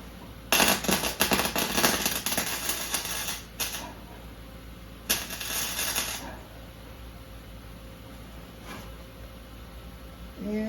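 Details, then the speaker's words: Lincoln MIG wire-feed welder welding a fabricated piece on 1970 VW Beetle: arc crackles in short uneven bursts, wire feed stuttering regardless of adjustment, with Lincoln and Harbor Freight wire and Lincoln, Harbor Freight and Miller tips tried; welder suspects the ground. "you can hear how it's feeding c c c c c c c c no matter what kind of adjustment I do"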